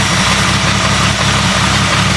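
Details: Jeep 4.0 engine, no thermostat, coolant about 112°F during warm-up: steady idle with a light, even tapping over the low rumble; valvetrain ticking, cause not confirmed.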